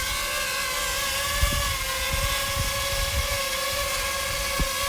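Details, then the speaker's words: JME drone landing with an Insta360 One X camera mounted on top in cold weather. A piercing high whine holds through the landing as the motors scream flat out under the excess weight; it barely flies. "it was actually able to land without much trouble but man you could hear that the motor screaming even though this thing is always loud"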